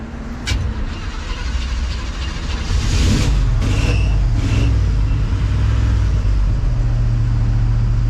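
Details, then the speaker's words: 1974 Chevrolet C10 with claimed Corvette engine, carbureted, hot start: long churning crank that stumbles then catches into a deep rough rumble, pedal held to the floor; fuel boiling in line and carburetor, bad vapor lock. "yeah she's Vapor locking bad"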